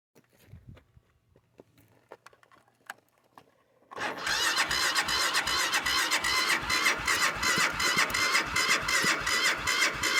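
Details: Cold start attempt: after a quiet pause the starter cranks steadily at about two and a half turns per second, but the engine never fires; cranks but won't start.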